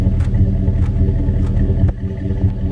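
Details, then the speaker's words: 2002 Chevrolet Silverado 1500 5.3L at idle, recorded at the tailpipe, with an uneven puff about every half second from a P0300 misfire. Cylinder 2 had intermittently low compression, diagnosed as its exhaust valve not sealing. "about every time that sucker misfires you can hear hear a little tick down in there i'm pretty sure i'm pretty sure it's this exhaust valve right here"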